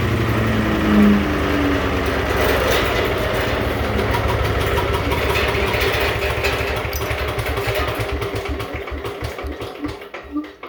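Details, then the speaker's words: 16HP Vanguard single-cylinder engine on a Little Wonder leaf vac, recoil-started, freshly run after storage: an uneven, loose-sounding shake over the firing beat that fades as it winds down; a loose part is suspected as the vibration source, not confirmed. "this is kind of loose so that's what all this vibe rooting is"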